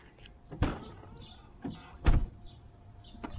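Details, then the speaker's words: 1993 Mercedes 600SEC, long-sitting California car: intermittent whirring with clunks as a power window closes slowly, hesitating, taking way longer than usual; owner says the window needs resynchronizing. "clothes seems to work actually but it takes longer than usual yup way longer window obviously needs to be resynchronized"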